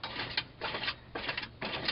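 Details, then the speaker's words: GMC Yukon, in park, front drive shaft unbolted at the saddle bracket and turned by hand: four sharp bursts of light metallic clicking; same noise heard while driving; cause unconfirmed. "now I'm no Rock scientist but I don't think this is supposed to happen now if you listen to it that's the noise I hear whenever I'm driving"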